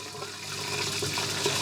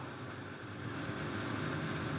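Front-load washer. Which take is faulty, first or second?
second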